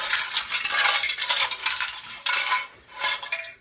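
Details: Briggs & Stratton 18 HP Vanguard engine, stored and not yet run: bright metallic jingling as the muffler is shaken, with loose pieces tumbling inside. The muffler looks bulged on top and seems broken up internally; the cause is only suspected.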